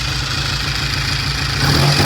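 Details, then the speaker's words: 1960 Triumph 350cc 3TA twin being revved after starting on the second or third kick, good oil flow and charging; picks up cleanly and evenly with a steady beat and no rattles: normal revving. "good got good oil flow we checked it a sweet little bike soon as we get a battery we'll let the client grab it"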